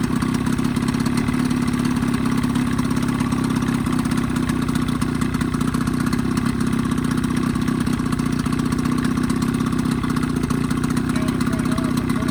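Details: 1985 Evinrude 20hp two-stroke outboard modified to 25hp, after full service, new reeds, primer seals, thermostat; steady even idle burble, no misses, knocks or hunting; earlier lean coughing and spitting fixed, normal healthy idle.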